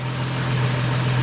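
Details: 2003 Nissan Maxima GLE 3.5 after partial engine rebuild (new cat/pipe burning off): steady even low hum as the idle comes down, no knocks or misses; normal idle.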